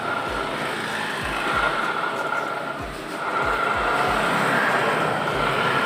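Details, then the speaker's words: 2017 Honda Scoopy, CVT block opened, rear wheel turned by hand: coarse rough grinding with faint steady squeal and rhythmic thump about three per second; noise traced not to final drive but to worn rear CVT pulley bearing. "Jadi suara ini motor tuh ngerosok ya. Nah, kalau kita putar rodanya itu bunyi ngerosok."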